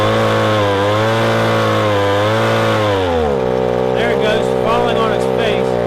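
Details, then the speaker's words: Echo ES-250 leaf blower (same engine as PB-250) at wide-open throttle while its carburetor screw is adjusted: a steady, high two-stroke wail drops slightly, then holds smooth and clean once the mixture clears up. "and that's about all there is to it just adjust that puppy until you hear it clear up and it sounds right"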